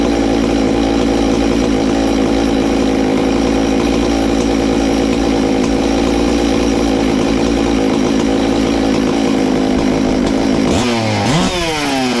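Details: Ported Farmertec MS660 two-stroke chainsaw, 22 degrees blowdown, extra muffler cover port added, tuned with tach: sustained clean scream flat out then sharp pitch drop off throttle, much louder, over 15 thousand rpm.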